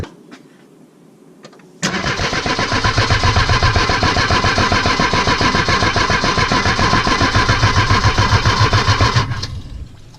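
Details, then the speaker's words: Mercedes W123 petrol engine cranking evenly about three and a half beats a second without catching, after fitting a new fuel pump; old brown petrol then clean fuel gushing out of a leak, so no start. "kind of fountain a horrible Brown guns that was the old petrol gushing clean stuff which means"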